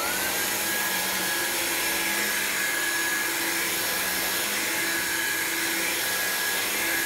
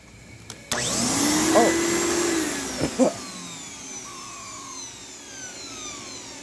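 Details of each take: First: Black signature-variant upright vacuum, no longer needed by its previous owner, running on a clean machine: a steady, even high motor whine with a brush hum underneath, no rattles. Its brush seems more aggressive than the non-signature variant's; healthy. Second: that just blew a bunch of dust in my face okay so the reset button tripped for some reason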